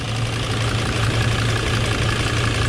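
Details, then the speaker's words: 2005 Mercedes-Benz Sprinter diesel with low compression, in limp mode; owner suspects a leaky fuel injector behind an intermittent noise. Here an even, steady idle with a firm low rumble and no knock or rattle; engine described as working really good. "the engine sounds like this working really good"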